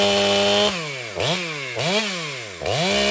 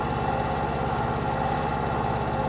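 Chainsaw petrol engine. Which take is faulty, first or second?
first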